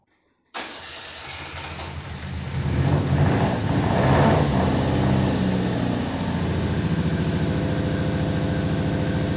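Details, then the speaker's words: Fiat Brio carbureted engine that had been misfiring on three cylinders, after fix and adjustment: fires right up, rises briefly, then settles to a steady, even idle pulse of about three beats a second; running smooth, idling well. "Bueno mejoró sí me había puesto dos booking cortos ahí se lo escucho bien Quedó regulando bien"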